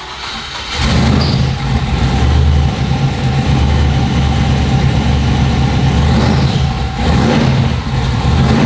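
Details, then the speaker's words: Truck at startup: loud low drone, then a faint steady whine once charge pressure builds; suspected transmission, or starter clearance too tight against new flex plate ring gear, contacting when hot. "For a split second, it didn't make a noise until some charge pressure came up, and then it started whining."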